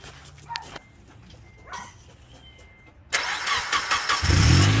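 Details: 2004 Honda Element started after a first-time valve adjustment and valve cover gasket replacement, valves re-tightened after sounding noisy: after a quiet pause it catches and settles into an even idle with no obvious tapping; normal start.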